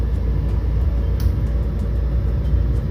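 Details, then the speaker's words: Mr. Heater Big Maxx 80,000 BTU natural-gas garage heater, after a connector was fitted to tighten over the fan to cure noise and vibration: steady even low rumble with no rattle, normal heater fan operation. "yeah sounds like it is working apart from that jerking noise in the beginning seems like it's working quietly nice a table fan"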